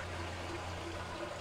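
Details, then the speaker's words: Kenmore washer that would not spin or agitate, after replacing the motor coupler: a steady, even motor hum with water swishing in the drum and no knocking or grinding. It now spins normally. "plug this back in and it's spin very different"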